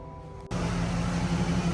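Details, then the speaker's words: 2001–2002 Camaro SS SLP V8, about 100,000 miles, after installing headers and Y-pipe and tuning: catches cleanly and settles into steady, even idle with no misfire; normal idle. "All right, we just started up. Sounds way better, doesn't misfire at all."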